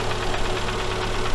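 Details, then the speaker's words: Daewoo Sens back after engine overhaul, running about three minutes: light steady tapping over an even idle, located by stethoscope near cylinders 3 and 4; connecting rod small-end bushing knock. "Вроде бы как какой-то начинает уже простукивать звучок. В общем, сейчас одену статоскоп, послушаю им. Да, в общем, есть такий стучок."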